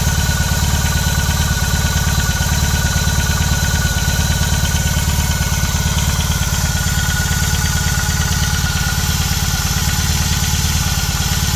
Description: nach ca. 3:30 min tritt, wenn der Motor kalt gestartet wurde, ein Klappern bzw. Klopfen am Motorrad.